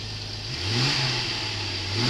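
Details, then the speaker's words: 2003 Jeep TJ with a new fuel pump, fuel pressure gauge fitted: engine revved under load climbs and settles smoothly with no misses, surges or knocks. Fuel pressure held with only a quick blip; regulator operating normally. "put some load on the engine the fuel pressure didn't even fluctuate at all maybe just a quick blip everything is operating as it should"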